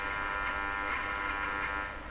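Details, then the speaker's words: Stromberg Carlson 561 tube radio during front-end alignment: steady raspy buzz with fixed whine, easing slightly; unmodulated extraneous noise signal engaging the AVC to quiet the radio, possibly a failing tube suspected. "sounds like a loud strong signal but I guess it really isn't because the noise is causing the AVC to quiet the radio and we're hearing this buzz go down weather like that"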